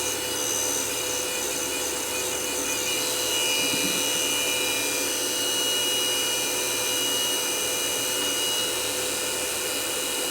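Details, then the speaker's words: Sony DNW-A30P Digital Betacam deck damaged in transport: loud, steady hiss and scrape with fixed whistling tones from the rotating assembly; slip rings under the cover suspected, possibly knocked out of alignment by an impact, unconfirmed. "Racket wonder what's under this cover should just be slip rings but the amount of noise they're making just doesn't sound right"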